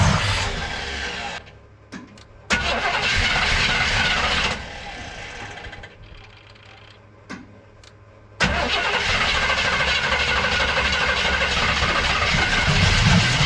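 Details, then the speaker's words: 1964 Chevrolet El Camino with a Powerjection III aftermarket throttle body cranks and fires once each try, catching and roaring briefly then dropping off; owner suspects fuel, nothing injects into the barrels when the throttle is worked, and clogged injectors are suspected. "I can get like one fire out of it every time now I still think it's a fuel issue"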